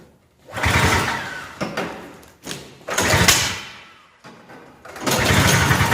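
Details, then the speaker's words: Lawn-Boy Insight single-stage two-stroke snowblower on 50:1 mix, cold start just off choke: revs swell and sag in uneven bursts every couple of seconds; cold-start RPM surging matching customer complaint, to be checked when warm. "so we might have been able to hear the rpm surge a little bit we're going to run it a little bit longer and see if we can warm it up and see if that goes away"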